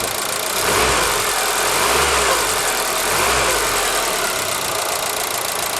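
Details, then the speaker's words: ZAZ Forza, 2,500 km, fresh 5W-40 synthetic oil, warm idle after 5 minutes: fast light tapping about three per second from an under-hood unit, vanishing briefly on throttle blip; owner suspects hydraulic lifters or injectors. "Звук идет вот от этого узла. Из двигателя все тихо."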